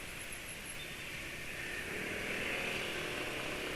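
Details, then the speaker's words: Engine on Evalube 2T oil during a top-speed run, slow to climb from 103 toward 108: a high-revving drone under heavy wind rush with no knocks or rattles. The engine still runs smooth, not harsh. "suara mesin gimana Ah masih termasuk halus ya masa-masa enggak terlalu keras"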